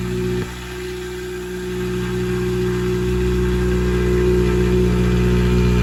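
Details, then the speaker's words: Honda Civic Si with swapped K20Z1 engine, new K-Tuned intake and 6AN braided fuel line holding about 50 psi, J-Cab exhaust, almost out of fuel: smooth even note climbing cleanly on throttle, no knocks; sounds good. "Yeah, so it sounds good."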